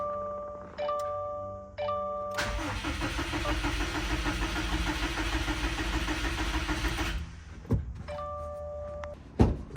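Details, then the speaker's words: 2015 Subaru WRX STI, non-running project, first start attempt after installing turbo, intercooler pipes, intake manifold and fuel lines: starter cranks steadily about five seconds, never catches; no spark because crank sensor was unplugged. "sensor wasn't plugged in, so there was no spark."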